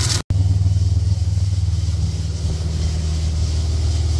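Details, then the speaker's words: Ford EF XR6 Falcon 4.0L SOHC at warm idle before an oil change: rough, loose rattle pulsing about three times a second. Owner suspects the power steering pump or its pulley (pump leaking slightly); the rattle quietens after running. "What's that tapping noise? I think it's I think it's the car's steering."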